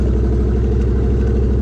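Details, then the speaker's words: Cheap C4 Corvette, loud open exhaust, showing 33 psi oil pressure at idle: a loud, deep, lumpy idle with an uneven thump that never settles into a smooth beat. It idles and runs "ish"; rough idle. "You know, it idles. it idles. Ish. It runs-ish."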